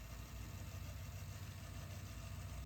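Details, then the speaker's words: Thrifted tape deck rewinding after head cleaning: quiet, steady low hum from the spinning reels, no grinding or squeal; rewind works as intended but slower than expected. "it works as intended but it's it's not as fast as I thought it would be"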